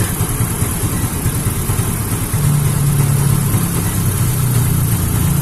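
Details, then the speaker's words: Yamaha Mio J fuel-injected scooter that dies suddenly, traced to a failed fuel pump IC caused by a faulty spark plug cap; charging about 14.2 V; rough, wandering idle as fuel pressure keeps dropping, hard to rev. Unstable idle from weak fuel pump. "Tapi motor ini sudah tidak beres atau tekanannya semakin turun"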